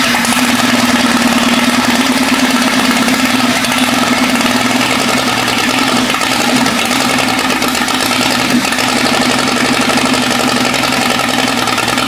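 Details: Jeep 5.0 stroker during pushrod/lifter fix: loud lumpy idle with rattly top end; exhaust temperatures show the middle cylinder at 220–230 versus 400, dead. Owner hopes lifters bleed down. Single-cylinder misfire.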